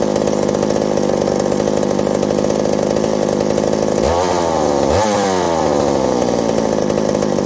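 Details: McCulloch 790 (MC101) chainsaw with new 090 carburetor, muffler loosening from broken bolt: steady high rev, pitch sags and recovers unevenly twice while cutting; bogging under load, owner suspects fuel or a vacuum leak at the intake gasket.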